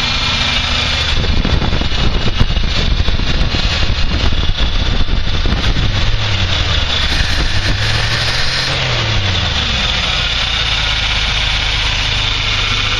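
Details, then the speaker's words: 1984 Chevy K20 3/4-ton, Quadrajet just replaced by a cleaned Edelbrock 1406 carburetor, unadjusted, distributor vacuum advance plugged, first crank: V8 settles into a steady, even idle with revs drifting slightly, no misses or knocks; normal idle. "I guess I'm just going to try cranking it over and see what happens well that sounds good"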